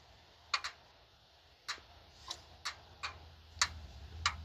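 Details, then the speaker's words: Engine cold, cranked over during leak-down check: sharp irregular single clicks with silence between, felt at a rocker on an open valve; owner suspects lifters bleeding off, likely cause of low compression. "this one is clicking so it seems like whatever valves are open either the lifters are bleeding off"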